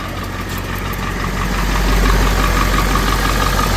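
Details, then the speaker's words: 1991 Ford F250 7.3L IDI diesel idling, running WMO blends or plain diesel: thin steady whistle near 1 kHz from the exhaust, pulsing with the engine, alongside a knocking; injectors pop-tested at about 1600 psi and cleaned. "Alright, here's the exhaust whistle."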